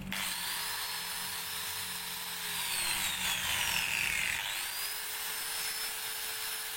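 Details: Maktec MT91A angle grinder after repair for overheating and a growling noise: high, steady motor whine that dips under cutting load and recovers cleanly, with no growl or rasp. Normal running.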